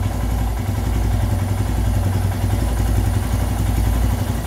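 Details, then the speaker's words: Royal Enfield Himalayan idle screw on the throttle body turned anticlockwise about 40–50 degrees: steady, fast single-cylinder thump at a raised, even idle. Adjust with the engine warm; the recommended idle is 1250±50 rpm. "now I have project rotated it almost like 40 50 degrees as you can see it is known here and the RPM has also going up"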